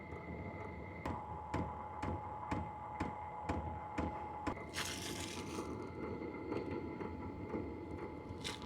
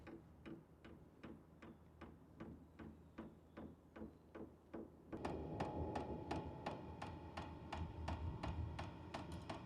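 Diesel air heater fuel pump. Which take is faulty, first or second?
second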